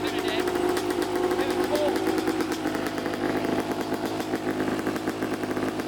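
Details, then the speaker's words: Neglected 2014 Yamaha YZ250 two-stroke dirt bike, trail-ridden and previously fouling plugs: crisp crackle revving up and settling cleanly, no misfire or bogging; runs well as it sits, probably needs no carb clean. "so yeah runs pretty good um i don't even think it needs a carb clean"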